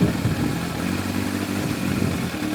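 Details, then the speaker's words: Warm four-cylinder Yamaha FZR1000 with rebuilt carburetors idling smooth and even with steady beat, no hunting or misfire; after a rev and settling, Digi Sync reads 59–60, carbs spot on with slight variation. "So they're perfect. They're spot on. They're pretty good. There's a bit of variation in it, but you've got to expect that."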